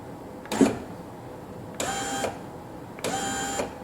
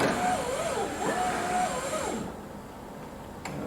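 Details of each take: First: 2000 Corvette C5 hardtop, driver door with new GM power window regulator and motor, tested without glass: motor runs in short even bursts, auto-down stops cleanly, no grinding; working properly. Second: 2000 Chevrolet Corvette C5 hardtop, original driver's window motor tested before replacement after the window stuck down with a weird noise: thin strained wavering whine, slow and labored; weak motor, grinding suspected from a broken gear tooth inside it.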